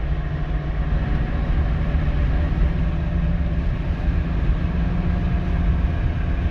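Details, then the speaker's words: Renault Megane 2 while driving, with a steady low droning hum under the road noise that is especially noticeable when turning. Worn front wheel bearing, which was then replaced. "this time it's problem with wheel bearings so i don't know if you can hear it or know where it's online here we wait especially when you're turning your car and"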